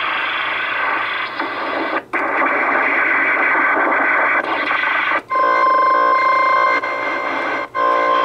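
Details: CB radio on AM channels 15–20 in central Iowa: rough hiss with sharp dropouts and a steady buzzing tone sweeping across channels; nothing in the house causing it, owner suspects something radar-like but unsure. Unidentified radio interference.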